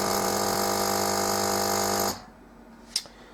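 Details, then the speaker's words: Melitta Caffeo CI automatic coffee machine after heating, at rinse start: pump buzzes about two seconds, cuts off, then a click, no water delivered and "Start System" repeats; suspected clogged filter, pump or check valve. "в целом принципе слышно как включается помпа и спрос должно происходить по крайней мере нагнетание но его нету"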